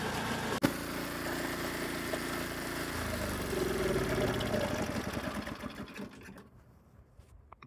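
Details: Snowblower, after repair and sitting 5–10 minutes: small engine runs smooth and even for several seconds, then winds down cleanly; running properly.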